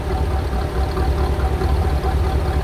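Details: 1985 Chevrolet Corvette C4, after fixing a no-start with no fuel pressure (no power to fuel pump): engine now idles smoothly with a deep, even rumble; radiator fan whooshing in front of the radiator is audible.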